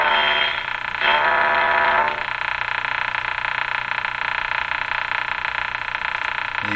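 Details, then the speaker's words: 1935 Rogers Model 7R622 tube radio during alignment: signal generator tone gets through the set as a harsh, steady croaking buzz through the speaker that cuts down partway — good sign, signal passing through receiver. "signal generator got through all hooked up here so as horrible as that sound is it's a good sign"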